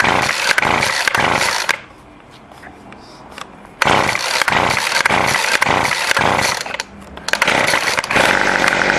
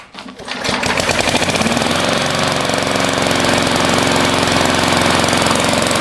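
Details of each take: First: Weed eater after carburetor adjustment: the small two-stroke pops to life, buzzes at high revs, then drops off and picks back up cleanly on the throttle. Running properly. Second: Lawnmower with a new 22-inch blade and no idle adjustment screw at the throttle: it putters at a slow, loping beat that never picks up. Idle is low.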